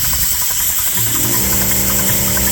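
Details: Dake square-piston steam engine with reversing valve driving a capstan/windlass, running in reverse on compressed air (stated 110 lb); beats merge into a steady, even buzz, running fast and smoothly. It uses a lot of air.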